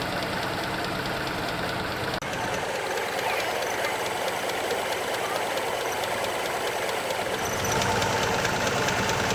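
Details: Mitsubishi Tredia after alternator mount was cut and realigned to fix belt slipping/squeal and battery not charging: steady even idle with a light rapid ticking texture, no belt squeal or chirp; accessory drive sounds healthy.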